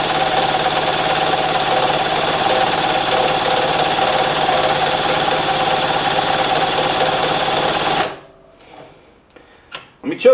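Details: Harbor Freight mini generator, about 7–8 months old, stored with fuel valve open, spun by a drill: steady high drill whine for eight seconds, faint compression beats, no firing; has spark, plug flooded with fuel.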